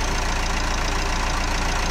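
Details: Renault Espace IV 2.0 dCi diesel after fuel filter change: steady, even idle clatter with smooth regular low pulse, no misses or odd knocks; healthy idle, no fuel leak.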